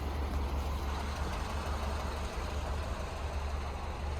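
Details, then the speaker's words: 2012 Subaru Forester XT turbo after timing belt skip and bent valve repair, codes cleared, weak battery: low smooth idle rumble with no stumble; slightly shaky at first but clears after about a minute. "plugged in and she's running a lot better good battery is weak but she's running feels a little shaky but I think it needs to be driven because it clears up after about a minute"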